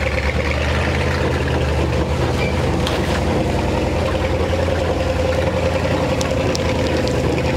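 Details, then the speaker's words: 1957 Chevy Viking truck driven after sitting 50 years, crawling in low gear: heavy uneven low rumble with rhythmic chugging from the driveshaft; worn carrier bearing heard. "Shaft sounds terrible. Sounds like a choo-choo train coming down through here."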